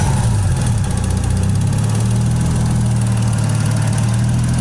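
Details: Toyota 1JZ straight-six at idle: faint fast light tick over steady idle, heard around the intake plenum; source not pinned down.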